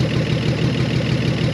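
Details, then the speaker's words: 1968 Chevy Biscayne with 47,000 miles, restarted after 35 years in a barn. The loud, raw, unmuffled idle has sharp rapid exhaust pulses because the exhaust flange has broken off the manifold: an exhaust leak at the manifold. "maybe you got an exhaust leak until it warms up or it blows up because either way that's kind of cool"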